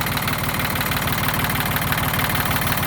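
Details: Yanmar YM1610 diesel tractor (1979–1981), 942 hours, first start after about 10 years sitting. Even, steady chug at about three firing pulses a second, no misses or knocks; normal idle.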